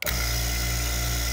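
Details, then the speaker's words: Air-conditioning vacuum pump over 20 years old, after replacing the motor-to-pump coupler sleeve and metal collar that had failed with a loud noise; steady even motor hum with constant pitch, no grinding from the coupling; normal running. "and you can see the pump itself is running fine so now this thing is back in business ready for hopefully for a few more years thanks for watching"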